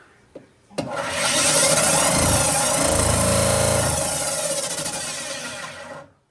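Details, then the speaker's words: Vent-A-Hood K250HSS2 range hood, over 10 years old, switched on: loud rushing roar with coarse rattling buzz and heavy vibration from the blower housing, whose welds are broken. "the customer complaint is that when they turn on the fan it makes a lot of noise and today I will show you how to fix this noise with the replacement of any part"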